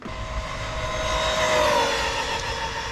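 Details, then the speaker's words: Traxxas Maxx electric RC truck on a test drive at about 49 mph: high motor whine and road roar with uneven fluttering rattle; owner suspects a wobbling bottom driveshaft, unconfirmed. "now you heard that usually that's the sound of Something's is being disturbed it could be the shaft the bottom shaft and the bottom could be wobbly that could have been the sound"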